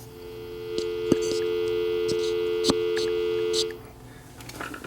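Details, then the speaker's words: Old Northern Telecom corded telephone after earpiece repair, speaker coil measured about 123 ohms: clean steady dial tone with a few handling clicks, then cuts off; earpiece working normally. "sure you can hear the dial tone because this phone is now fixed and I can put it back together and make my wife's aunt very happy"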